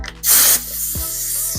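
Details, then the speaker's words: Leakdown tester on a 1999 Triumph Adventurer 900cc three-cylinder engine, regulator knob fully counterclockwise as air supply is hooked up: short sharp hiss of escaping air, then steady hum; normal during setup before zeroing the gauge. "you can hear air escaping that's fine"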